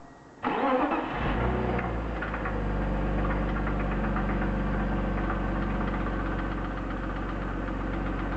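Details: BMW E36 323i, 1995, M52B25, 140,000 km: engine cranks, starts and idles with a fast, faint knock, loudest at the front of the engine above the VANOS; lifters and upper chain tensioner replaced, lower tensioner OK, no metal in oil, no oil-pressure light; cause unknown.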